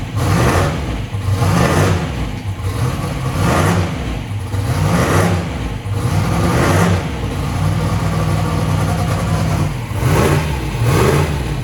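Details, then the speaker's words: 427ci turbo Small Block Ford race engine (2,500 hp), first start-up session: deep lumpy V8 idle with steady loping beat and light blips, firing evenly; normal idle. "so thing is good all right i think she's good"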